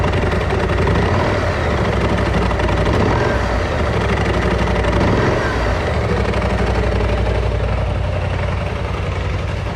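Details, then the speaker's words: Freshly bought BMW C650GT scooter in for transmission noises: loud, coarse rattling knock about four beats a second over low idle drone, unlike its normal sound. "Я не знаю, как это передает камера, но звук очень громкий. И он не похож на стандартный вот этот вот звучок шумный, с которым они обычно работают."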